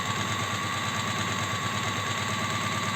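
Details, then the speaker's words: Astralux M10 sewing machine whose mechanism had never been lubricated, running in after oiling. A steady, busy clatter at about three beats per second, still slightly rough and dry, but softer and no longer squeaking, with enough power at low speed now. "Но так уже на четверку уже работает смазка все-таки проникает уже мягче становится как телега уже не скрипит"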